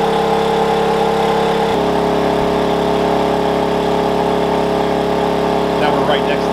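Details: Wen 56203i 2000 W inverter generator (made 7/2020), eco mode, about 1375–1400 W load, high-60s dB; one constant steady pitch with no hunting or surging, running normally.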